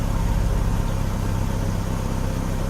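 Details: 2000 Chevrolet Cavalier after misfire repair that caused rough running and flashing check engine light: steady even low idle with smooth firing rhythm, no stumbles or skips; running noticeably smoother, normal idle.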